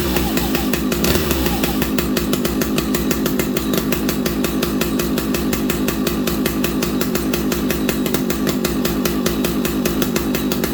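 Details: Vintage old-school muscle chainsaw started on fast idle using the decompression valve; after a brief start it settles into a steady, even high-revving buzz with no misses or stumbles, normal running.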